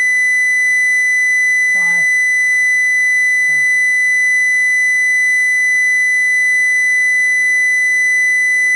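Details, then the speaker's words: Homebuilt transmitter-receiver link, modulation tone raised from 1000 Hz to about 2000 Hz, system still warming up: constant shrill tone with a harsh buzzy edge over hiss; modulation amplitude far too high, strong distortion, source uncertain. "too high amplitude far too far too high um you see here is some very strong Distortion which I don't know where"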